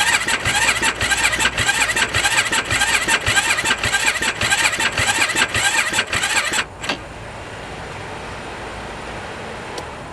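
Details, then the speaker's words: 2007 Yamaha YFZ 450 single-cylinder quad as bought, air filter torn and disconnected, battery on charger: starter churns in steady pulses under two a second for about six seconds, no firing; crank no start, cause not confirmed, solenoid to be diagnosed next. "Yeah, she's not gonna start. It's gonna need a good gone through before we can even attempt to start this thing."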